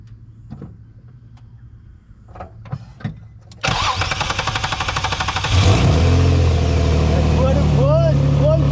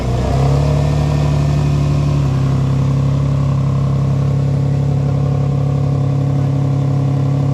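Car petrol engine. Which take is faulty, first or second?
second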